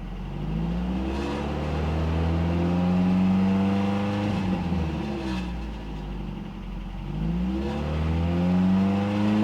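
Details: Cheap Toyota truck revved twice after knock sensor replaced (check engine light previously came on at 2,500 rpm); pitch rises and falls cleanly with no ping or clatter, sounds healthy.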